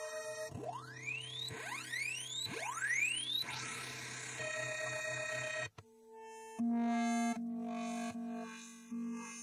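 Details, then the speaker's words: Commodore MOS SID sound chip number four on a test program of sine, triangle and square waves plus filter tests: the chirps and tones come out harsh, garbled and buzzy; the chip is faulty. "so yeah that sounds a little screwed up that was the number four chip and on my list here i wrote that one down as just all screwy"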